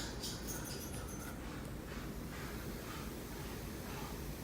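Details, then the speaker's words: KRK Rokit 6 studio monitor after replacing both 1000 µF 35 V capacitors to cure a buzzing fault. Switched on with no input, only a faint even hiss with no hum or buzz: normal quiet idle. "so here we go sound test turn it on no buzzing"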